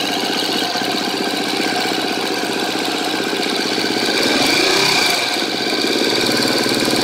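Steady single-cylinder idle with a fast, light metallic ticking of about three per second riding on top; a top-end tick, cause unconfirmed.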